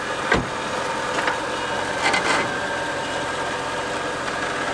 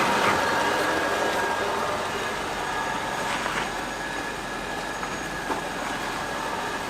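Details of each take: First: Volvo XC90 V8 with a creak front left, worse when steered right: a few sharp uneven creaks over a quiet idle. Cause is cracked, poor-quality body repair, metal under stress; self-tapping screw removed to test. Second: Volvo XC90 V8 after the repair: steady road and tyre rumble with no creak over bumps. The front-left creak from a poorly repaired, cracked body joint (wheel-arch bracket, chassis rail, radiator support) is gone after bending the metal to relieve stress.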